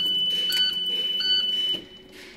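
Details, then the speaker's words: International school bus vandalock system: sharp, high-pitched alarm at key-on and no cranking, because the vandalock lever has worked its way down on rough roads; fix is returning the switch to its proper position. "if you ever have a problem with busting out starting the only here is the alarm it's a good chance this lever has knocked its way down just from rough road or whatever"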